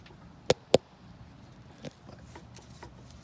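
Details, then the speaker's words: Dodge Ram 1500 front CV axle shaken by hand: two sharp metallic clicks half a second apart, then quiet; worn loose splines caught early, new axle planned, hoping front differential splines are undamaged. "Hear that as I shake that axle. So yeah, let's see if we can just put a new axle in there, and hopefully the splines on the front diff aren't pretty messed up, and life will be great."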